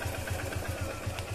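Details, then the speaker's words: Bike engine, roughly 30–40 thousand on the odometer, after timing chain adjustment: even, low thumping idle around eight beats a second, no ticking, rattle or extra noise; normal idle, timing chain sounding healthy. "देखो तो को एकदम प्यारी आवाज है गाड़ी की कोई फालतू की आवाज नहीं है"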